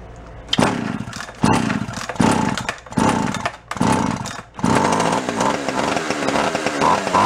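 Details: Free Echo CS-400 chainsaw; fires in short surges about once a second, almost dying between, then runs ragged; lean running from a leaking crankshaft seal, saw drawing fuel up the line.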